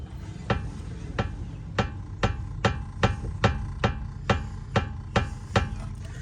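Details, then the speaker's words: 2005 Mercedes S500 4matic (W220), clunking over bumps; on jack, front suspension levered with a bar to mimic a bump: sharp metallic clunks, two or three a second, from play in the worn lower ball joint on the lower control arm. "Now, it appears to me that it's the lower ball joint on the lower control arm."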